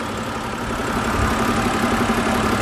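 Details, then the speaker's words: 2011 BMW 528i inline-six petrol idling smoothly and evenly with a steady hum after dealer warranty VANOS repair that cleared code P052B; before, it had bouncing rpm on startup, rough diesel-like idle. Normal idle. "for comparison here's how the engine sounds now after the repairs"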